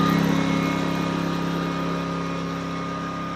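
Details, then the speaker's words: Westinghouse iGen2500 inverter generator, owned 9 years, at full power under full load, heard from about 20 steps away and probably quieter than a passing car. Steady, even mid-pitched hum; normal running at full load. "This is volume, what it would sound like at full power if you had a full load on it. The car that just drove by me behind me on the street behind me was probably louder than the generator is from where I'm standing."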